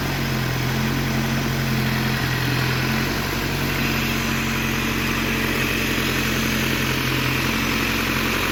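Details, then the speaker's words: Triumph Dolomite Sprint first start after rebuild, choke on, engine stabiliser bar not yet fitted; slight smoke burning off assembly oil. Petrol engine idles steadily and evenly, no rattles or knocks, sounding healthy and sweet. "That sounds really sweet. No rattles, no knocks, just as it should be."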